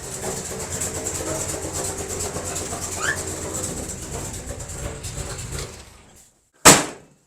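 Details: 1957 Chevy wagon big-block V8, barn find, running after 20 years with fuel pump working and carburetor fixed: steady idle with a busy rattly clatter, suspected exhaust leak, then shutoff and a single sharp knock.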